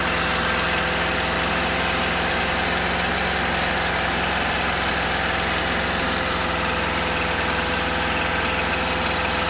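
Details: 1972 camper petrol engine idling steadily with a faint irregular knock underneath its even running note.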